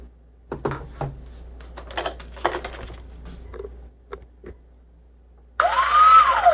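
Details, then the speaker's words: E-flite T-28 RC plane motor found after a crash, on a cheap motor mount: after handling knocks it spins up with a rising, falling whine and gritty rumble like a rock tumbler; spins okay, rough running, cause unclear. "That sounds like a rock tumbler. But it spins okay. Maybe that's just how that thing sounds."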